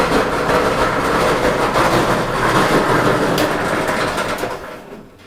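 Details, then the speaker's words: Whirlpool dryer tumbling: steady coarse rumble and uneven rolling thump under the drum; likely a broken drum support roller. "Sounds like probably a roller has broken."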